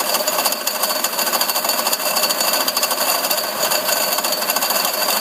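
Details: Mercedes CL500 W215 tandem pump (ABC hydraulic plus power steering) at idle: a dense, fast, steady metallic rattle from the pump area. It persists after a new pump was fitted; a broken or loose bearing is suspected, and steering and ABC work fine.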